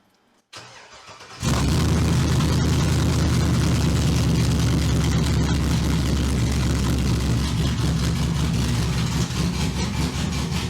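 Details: Modern Cadillac Escalade body on Ford F100 chassis swap, first start after fixing a pedal/TPS issue, two O2 sensors unplugged, no current codes: engine catches and settles into strong, steady deep run with throttle response, sounding healthy.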